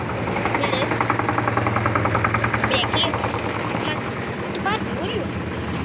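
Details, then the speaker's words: LT13B washing machine in a suspension test, spin cycle: rapid, uneven heavy thuds repeat as the tub slams around; the owner calls the suspension noise very annoying; banging from an unbalanced load. "É muito chato esse barulho da suspensão. Muito chato."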